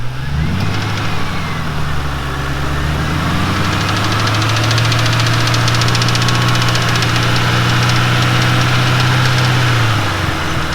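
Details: 2006 Mustang GT held at raised revs: quick, light ticking over the run, keeping pace with engine speed; top-end tick of unknown cause, unchanged after new timing chains, guides, tensioners, cam followers and high-volume oil pump.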